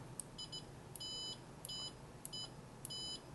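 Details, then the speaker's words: Siglent SDM3055A 5.5-digit bench multimeter in continuity mode, threshold default 50 ohms, beeper on: high, clear short beeps about every half second as probes touch; works normally, though the slow instrument can miss brief connections. "And it says open, of course, if everything is is open. And you can turn the beeper on and off. So now the beeper is on."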